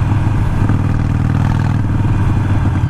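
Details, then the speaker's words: Harley Iron 883 with Vance & Hines Fuelpak FP3 running AutoTune and a new external breather, averaging 35-38 mpg: off throttle a loose burbly rumble with uneven pops, idle dipping low; decel pop set in the map, cause not confirmed. "I did set it up to where it has a little bit of decel pop. But you can hear that rumble when you come off of the throttle."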